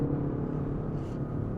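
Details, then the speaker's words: Wuling Binguo EV creeping at low speed: low steady droning, snoring-like hum with even tones from its sound module, the normal pedestrian warning sound indicating the car is moving; brake fluid and front suspension noise were separate complaints. "Oh, emang normalnya gini kalau Bingo, kan oke. Suara itu kan dia dari modul lamnya ya. Biar indikasi ini mobil tuh ada suaranya gitu."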